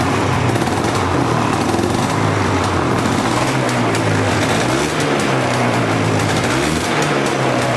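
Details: Polaris Explorer 400 two-stroke ATV, revived after sitting, cold start on choke in neutral, straight gas with oil injection: revs waver and flutter unevenly rather than settling to a clean idle; owner suspects the air screw needs turning out, unconfirmed.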